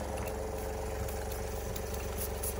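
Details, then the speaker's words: Mamod SP2 model steam engine run on compressed air after oiling, not run in ages: quiet, lumpy chuffing with an uneven beat and faint rattles. It runs roughly and the cause is not yet found. "here we are it's not happy but it's working yeah we'll have to look into that because that ain't happy on compass then it should be"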